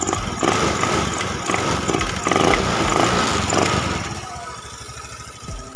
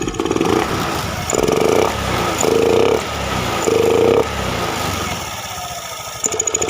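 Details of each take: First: Honda Beat FI scooter with complaint of bogging, stumbling and cutting out under sudden throttle though fine when rolled on gradually, no MIL codes, low fast idle when started: quick blips pick up cleanly, no stumble, settle to steady idle; crisp throttle response. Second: Honda Beat FI scooter, no MIL fault codes, throttle body, fuel pump, EOT sensor, spark plug and injector already swapped. Quick throttle blips rise briefly then fall flat and sputter; hesitation and bog on snap throttle.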